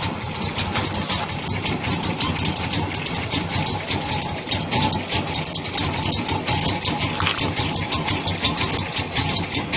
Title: Square Body Rough idle